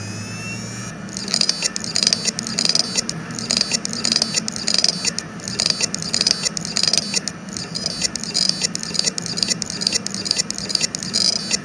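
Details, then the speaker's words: Seagate Exos X18 16TB helium enterprise hard drive with 18 heads at power-on spin-up: sharp knocking head clicks about every two seconds mid-start, then smooth spinning; heads 3, 4 and 5 failed, main startup head still initializes. "这个启动声音就不是很正常。说实话，一开始声音还能听下去但是到中段的时候就开始敲盘了。但这个异响敲盘的声音又不是一直持续，过一会儿盘又平稳转动了所以这个磁头像是坏了，好像又没坏。"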